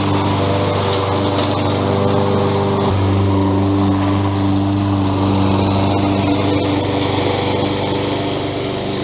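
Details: Toro 20374 self-propelled mower after its stripped plastic-gear rear drive wheels were replaced with metal-gear wheels and new pinion sprockets: loud, steady small-engine drone at even speed with no knocking, slipping or grinding; it runs and drives normally.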